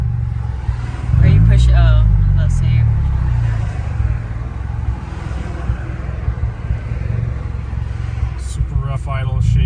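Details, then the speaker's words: 1991 Nissan 240SX: lumpy, uneven idle that sags almost to stalling then recovers, engine shaking hard. Rough idle with misfire. "so I'm still having this idle misfire I'm sure you guys could probably see it or hear it but it starts to break up at 2000ish"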